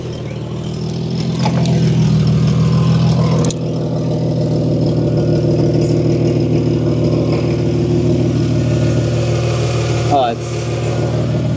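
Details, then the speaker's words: Ford wagon from a scrap yard at idle. A quick puffing chuff rides on each firing pulse with no deep knock: an exhaust leak toward the front, where old muffler putty marks an earlier repair attempt. "so it sounds like it's definitely at the front here somewhere"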